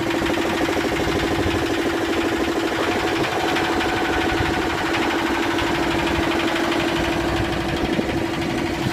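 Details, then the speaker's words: Yanmar SB12 marine diesel after fuel line repair, primer bulb fit and bleeding, having run about 40 minutes continuously. It holds a steady, even diesel clatter in gear under load with no misses: running constant and strong. "I put it in gear a few times sounds pretty uh constant and strong"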